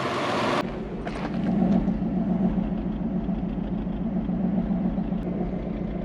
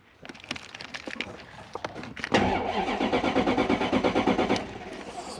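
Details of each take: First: Toyota Soarer (same as SC400), 1UZ V8, after replacing two wet, burning ignition leads: low, steady V8 rumble with a fairly even beat and no obvious stumble, idling much smoother but not fully right. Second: Toyota Soarer 1UZ V8, cranked via screwdriver with no fuel delivery, listening for compression: starter spins the engine with even, steady compression pulses about three per second but never fires; compression sounds even.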